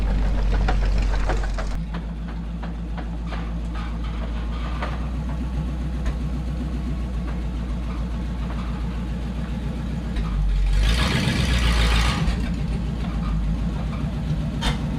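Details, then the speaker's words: Early Ford transmission on coupe after second gear was destroyed shifting toward second: uneven low grumble and churning under the running engine; gearbox rough, clutch possibly damaged too, heard spinning. "And it sounds rough. It sounds like the clutch might be damaged also, because I can hear it spinning in there."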